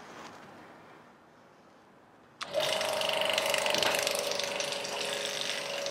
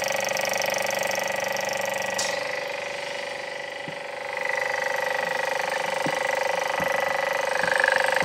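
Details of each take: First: Vacuum pump for testing lapped valve seats on a BMW N54 head, switched on; thump at switch-on then steady hiss with even rapid clicking about three or four a second. Pump running normally. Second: Late-80s vacuum pump testing lapped BMW N54 valve seats fails during the cylinder 2 test and stops pulling vacuum. Steady high whine dips, then faint irregular ticks start; owner says it is just broken.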